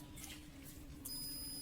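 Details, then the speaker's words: Arduino soil-moisture irrigation model with the moisture sensor pulled out of the soil; a thin, high, continuous warning beep starts about a second in because humidity is below 10%. "ahora se va se escucha un pitido de que la humedad está por debajo y lo del 10 por ciento de humedad"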